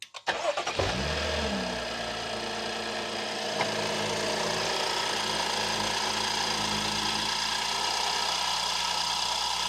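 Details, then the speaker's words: 2014 BMW X5 F15, about 120,000 miles, after replacing all six ignition coils and iridium spark plugs; quick crank, brief flare, then smooth even idle with a faint steady tick. Normal start and idle. "just stick normal. Sounds good to me."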